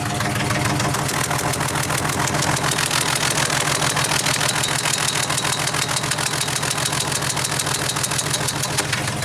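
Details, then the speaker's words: 2000 Jeep 4.0 with a coil rail of three coils and no plug wires, no check engine light: lumpy, stumbling idle misfire on one or possibly two cylinders, worse in gear; a plug centre electrode was found burned down, and coils or injectors are suspected. "stink sounds like one cylinder but it could be two put it in gear and it's a lot worse I guess you can hear that"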